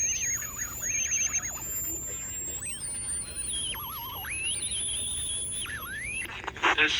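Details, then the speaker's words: Vintage Sunmark 10-transistor AM/FM pocket radio on 9 V battery, AM band: high whistling squeals sliding in pitch while tuning, from bad AVC filter capacitors; bad coupling capacitors also cause low audio volume. "i am so sounds like we have bad capacitors a bad avc filters causing it to squeal and bad coupling capacitors are causing the low volume low audio"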